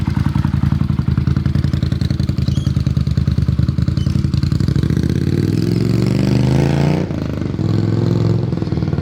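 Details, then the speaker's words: Carbureted twin motorcycle at operating temperature, during a carb sync with homemade fluid gauges: steady, even idle pulses, then a smooth rev that settles back cleanly. The carbs sound well balanced. "But I'm pretty happy with how it sounds, so I guess taking it for a spin and see how it feels."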